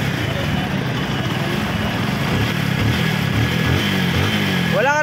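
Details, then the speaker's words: NS125 FI after engine knock repair, now quiet like brand new: even, steady single-cylinder idle with smooth low rumble, no knocking or tapping; only the TPS still missing. "ka na marinig, makina, tahimik na. TPS lang kulang."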